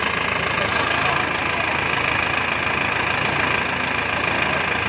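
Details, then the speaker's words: Isuzu Panther 2.5 diesel at idle after an overhaul with new main and rod bearings, new piston rings and bored liners; a steady, even clatter with no knocks or misses, so the rebuilt engine sounds healthy. "Kita dengarkan suara mesin Isuzu Panther 25 setelah overhaul ya bro ya."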